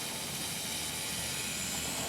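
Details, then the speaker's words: Inground sprinkler zone valve not shutting off completely: steady rushing hiss of water through heads, lowest head bubbling constantly; solenoid works when loosened. "So it's just not shutting completely. Right. So, right, and this one just bubbles. So it's not shutting off completely."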